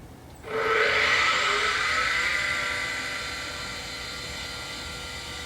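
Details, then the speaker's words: Original Macintosh LC on a known-good power supply, board dusty with leaking capacitor goo: at power-on a loud hissing rush and high whine settle to a steady drone, no startup chime; very noisy hard drive, likely needs a recap. "Okay, it powered up. Hard drive is very noisy. I didn't hear a chime."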